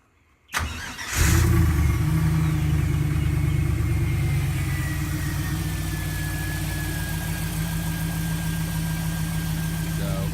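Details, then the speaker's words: 1987 Jeep YJ Wrangler with an LSx V8 swap, cold start: cranks and settles into a steady, deep, even V8 idle through a stock Tahoe-type muffler with no misses. Some exhaust rattle is noted. "how loud it is that's like it's almost like a stock Tahoe type muffler it's no it's not name-brand performance muffler"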